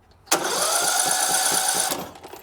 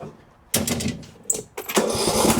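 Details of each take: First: Riding lawn mower cranked with the spark plug removed and a known good battery: starter whines about a second and a half, turning the engine sluggishly. Worn starter brushes are blamed; the starter is to be replaced. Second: Briggs & Stratton riding mower engine after replacing the starter (part 593934) for a slow crank, battery tested good: starter whirs briefly, engine catches and settles into a steady, even single-cylinder putter with no misses; normal start and idle.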